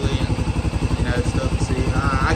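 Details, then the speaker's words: 2015 Can-Am DS250 ATV, single cylinder, after carburetor and jets cleaned (previously ran rough, wouldn't idle, sat with dead battery); even thump about ten beats a second, no misses, no smoke; normal healthy idle. "yeah it ain't smoking or nothing motor sounds healthy on it"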